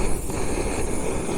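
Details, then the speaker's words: Budget camping gas stove shielded from the wind; low, even roar of the burner firing steadily, without the hissing the wind caused earlier. Normal operation. "Can you hear the difference when there's no wind? How it's firing away."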